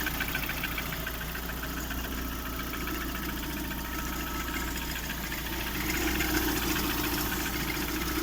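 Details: Lada Priora 16-valve engine (126), idle: quick, fairly even light knock roughly three to four per second over rustling hiss, like friction near the timing belt; owner suspects piston knock, source unconfirmed.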